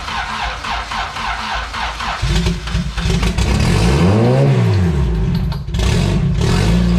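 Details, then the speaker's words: Honda D16 engine in an EF hatch, turbocharged with a GTX3576R, first start after fixing fuel leaks: it catches and revs unevenly with quick ticking (about 3–4 clicks per second) and a squeak over it. The cause is unknown. "i just don't know what that clicking noise is that's squeaking it's kind of scaring me a little bit"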